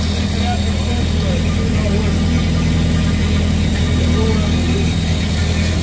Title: 1930 Ford Model A coupe engine start up after rebuilding at MetalWorks. Flat head engine running.